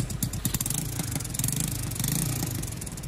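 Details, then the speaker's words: Jincheng 110cc two-clutch motorcycle engine, brand new, carbureted, test run with exhaust blocked: steady quiet idle, even exhaust pulses, no knocks or whine; healthy. "Máy nổ êm như chó thở luôn. Không tí gọng hú gì của máy cả."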